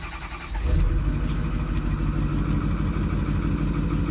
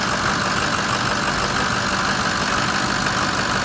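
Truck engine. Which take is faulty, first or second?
first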